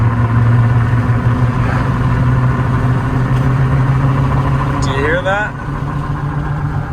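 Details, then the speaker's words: Severely neglected Chevy Silverado 6.2 4x4 on its first test drive: steady low droning hum filling the cab at speed, tire noise from chopped, unevenly worn cupped tires. "oh brutal it does have some tire noise"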